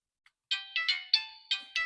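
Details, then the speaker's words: Jio F320B phone after replacing the power IC, ringer previously very quiet: bright, chirpy ringtone bursts about four per second, loud and clean with no crackle; normal ringer volume. "हां दोस्तों आ चुका है आवाज पहले बहुत कम था"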